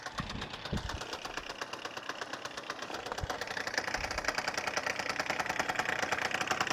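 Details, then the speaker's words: Freshly rebuilt Suzuki Address 110 two-stroke scooter (Japanese parts) developed a rattle on a hot-day ride; it starts first pull, smokes from generous oil, and an uneven idle carries a quick light knock, about three a second, from the magneto side; cause not yet known. "И вот где-то со стороны непосредственно магнита вот такой у нас звук. Вот, ну, есть вот такой вот неприятный звук."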